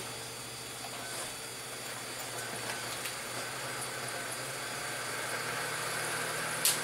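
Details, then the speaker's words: Optical drive in a PC found by a bin, disc spinning up with a steady whirring hum that builds in loudness with faint flutter; loud drive noise, cause unknown. "Et on y retourne. Elle fait du bruit ce CD."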